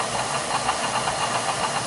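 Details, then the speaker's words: Beckett oil burner that starts smooth, then vibrates and shakes the smoke pipe: quick, even ticking about six times a second, getting faster, over the burner's rush with a shaking rattle; a loose fan or fan blade is suspected. "that clicking noise there yeah it was a lot louder than now getting faster yeah yeah it sounds like I might be a loose fan or something"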